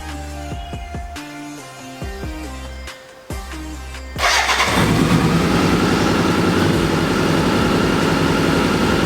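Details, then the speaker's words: BMW K100 cafe racer, after off-camera repair of the no-start problem: after music the engine fires and settles into an even, quick idle with no stumbling; runs nice and smooth. "so i just wanted to tell you the end of the story the bike is running nice and smoothly and i finally finally figured out the"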